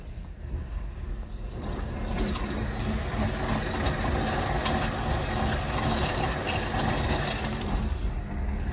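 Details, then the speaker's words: 2007 BMW E60 525i, 65,000 miles, in drive: rough churning drone under the car. The owner heard humming, then it wouldn't drive; the driveshaft spins but the car doesn't move. Failed rear differential. "the customer complaint is he was driving hearing like a humming noise and then essentially stopped like it just wouldn't drive anymore"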